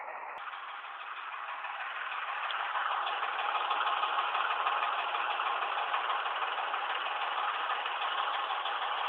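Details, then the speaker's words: 2005 Ford Expedition 5.4 3V V8 idling extremely rough in neutral or park with light ticking about three times a second; it stalls when warm in drive or reverse, with codes P0012, P0022 and over-retarded cam timing, attributed to faulty VCT solenoids before replacement. "neutral or in park it idles extremely rough it ticks as you can hear here all the codes that it's throwing are saying BCT solenoids"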